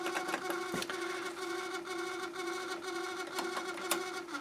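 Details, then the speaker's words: Harman Kardon CD 191 cassette deck with a faulty tape transport mechanism, heads stuck up so the door won't close: powered on, it makes an awful drone with clicks and snaps, nothing moves and eject is jammed. "i have the heads in the up position which means i can't close the door turn it on makes awful noise nothing happening eject is jammed"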